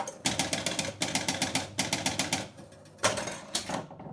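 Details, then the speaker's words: Gottlieb Sure Shot electromechanical pinball, partly working, ball draining: quick, even relay ticks in groups of about six as the bonus unit steps, then quiet with no bonus awarded. Bonus unit steps but no bonus awarded. "however no bonus is awarded so uh that might be another thing to look at"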